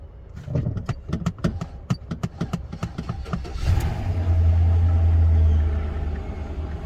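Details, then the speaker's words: Engine jump-started with reported knocking, oil found a little low: cranks with quick clicks, catches, settles into smooth even idle with no knock heard; sounds healthy. "yeah she told me when she took it to jiffy lube that they told her that the engine was knocking real bad and they gonna probably have to replace the engine and something it sounds like some bs though"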